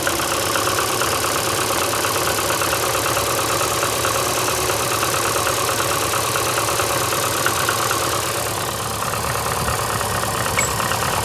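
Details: VAZ 2115 8-valve at cold idle: uneven, loping beat with a faint knock, as if one cylinder drops out. Started after cylinder-1 head gasket failure, antifreeze and Lukoil 5W40 oil changed; valves adjusted 3 months ago. Check-engine light on; cause unknown.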